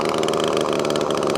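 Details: Echo ES2400 two-stroke leaf blower on 50:1 mix, running badly before a carburetor swap; mixture screw turned in to restrict fuel, it buzzes unevenly with a starved, wavering note and barely stays running, lean running.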